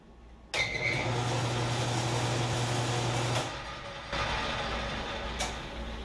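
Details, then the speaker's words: Lathe after motor replacement, running with the door closed: even low hum and a faint steady gear whir with no rattle. The new motor is quieter than the old one, so gear noise is now more noticeable. Running smoothly. "than having that door open and the doors closed it doesn't rattle but there's just slight hum from the motor clock quieter than the old motor I hear the gear noise a lot more now than I used to"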